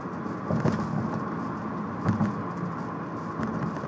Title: Altima annoying tapping noise